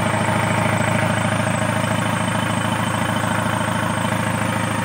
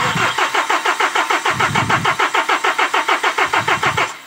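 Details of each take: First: Kia K2500 D4CB diesel after a crank no start / hard start, fixed after work on the pressure pump timing: steady clatter at an even beat, about two to three a second, no stumbling or hunting; normal idle. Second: KIA K2500 D4CB diesel, hard start: starter cranks in quick even pulses about six a second for four seconds but never catches; fuel rail pressure sensor suspected of misreading pressure.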